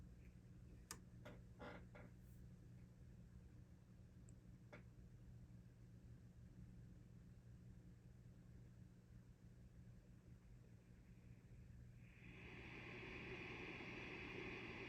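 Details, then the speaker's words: 1953 Fender Champ tube amp during service, volume all the way up: early crackles as the old tubes warm, then low steady hum and soft even hiss at full volume; normal, amp healthy. "That's just a little bit of hiss from being all the way up."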